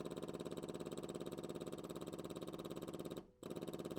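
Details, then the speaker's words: John Deere 755 tractor, Yanmar 3TN diesel rebuild: electric fuel pump wired straight to the battery, bypassing a suspected bad harness ground, buzzes steadily at about three pulses a second with a brief dropout; runs freely. "what if we bypass to the harness and we ran this pump straight to the battery oh listen to"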